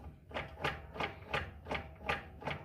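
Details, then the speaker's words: 2005 Fiat Siena HLX 1.8, car in first gear, right passenger front wheel rocked by hand: sharp light clicks two or three times a second at the inner CV joint to the gearbox; owner unsure if play or normal. "E aí eu tô balançando aqui, ó, só com a mão. Faz esse movimento e esse barulhinho aqui na na homocinética aqui, ó."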